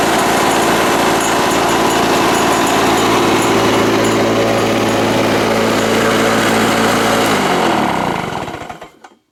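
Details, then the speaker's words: Probably mid-80s Lawn-Boy 6230 Commercial two-stroke mower, cast iron motor, revived after about a decade stored with oily fuel: fast even buzz then wind-down at shutoff, blowing much smoke, bad smell; owner thinks muffler needs cleaning. "I think this mower will eventually need the muffler cleaned as well, because it seems to be blowing quite a lot of smoke, which isn't exactly ideal, and it doesn't exactly smell very good when it's running."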